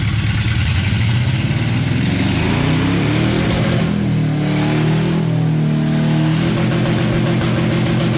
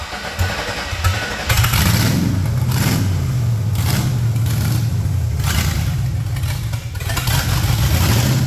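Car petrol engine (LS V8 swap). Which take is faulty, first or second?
second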